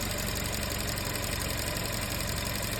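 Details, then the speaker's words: Petrol car idling with the throttle inlet blocked and oil filler cap opened: engine keeps running on air drawn through the filler cap, showing a vacuum leak test; sealed engine would stall. "كل ده العربيه شغاله على الهواء اللي ساحباه من غطا الزيت"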